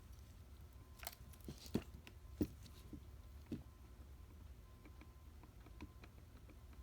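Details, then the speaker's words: Mercedes 190SL Solex carburettors, a mismatched pair of two number 2 units: faint irregular clicks as the throttle shaft is rocked by hand show worn throttle shafts and butterflies. "Big issue is, of course, wear on the throttle shafts and the butterflies. So let's take a look there, see what we got. Can you hear that? Definitely worn out."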